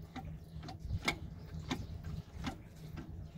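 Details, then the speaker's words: Fiat Multipla with a clatter when shifting, driveline turned by hand: faint single clacks roughly every half second from free play; owner unsure whether it comes from the gearbox or the driveshaft joint, cause unconfirmed. "das hört sich eigentlich so an als wäre es nur im Getriebe drin ne du kommst aus dem Dings hier aus dem Gelenk"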